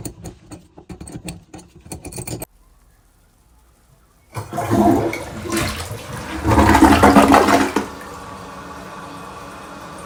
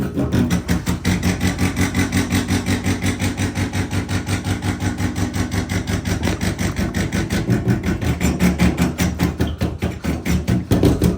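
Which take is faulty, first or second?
second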